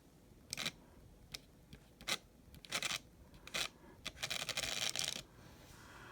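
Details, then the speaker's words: N scale MRC RSD15 locomotive with Micro-Trains conversion, first track test with throttle turned up: thin motor buzz in short uneven bursts with silent gaps; stuttering run from dirty wheels needing heavy cleaning. "so it might need a little wheel cleaning I kind of expected that crank it up a little bit yeah it needs a wheel cleaning big time I'll crank it up some more"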